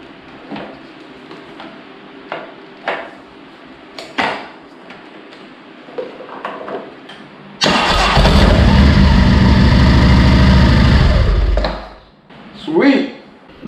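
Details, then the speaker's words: 2009 Harley-Davidson Street Glide V-twin after starter rebuild and primary cover installation: a few clicks, then starter engages cleanly without grinding and engine runs evenly briefly; healthy start, confirming the worn starter drive was the fault. "more noises when it starts up, alright she's all set she sounds good when she starts up definitely was the starter drive that needed to be replaced"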